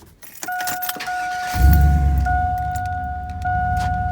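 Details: 2002 GMC 2500HD 8.1L with Allison, after alternator replacement to cure a chirping belt noise: engine catches after brief cranking and settles to an even idle with no chirp, steady chime over it; charging good.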